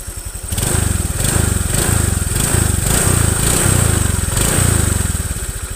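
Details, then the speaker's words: Honda Vario 125 FI scooter after a full internal engine teardown and cleaning: a smooth, even single-cylinder idle with no rattles, no longer rough as it was before. "suaranya sudah halus tidak seperti kemarin ini bongkar total bagian internal sudah saya bersihkan secara maksimal"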